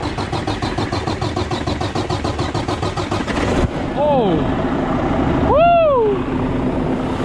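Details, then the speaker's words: Wrecked 2020 Volvo VNL 760 semi, rebuilt, first start after sitting; steady cranking about three turns a second for several seconds then catches and runs, exhaust smoking a little, something in rear not hooked up: cranking and starting. "easy easy exhaust smoking a little bit something's not right there"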